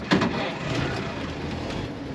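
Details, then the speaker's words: 1929 Franklin woody wagon, 428 miles on odometer, key on, in neutral, started by button: short crank then catches at once, settling into steady even idle; ammeter shows charging +10; normal start and idle. "Starts right up."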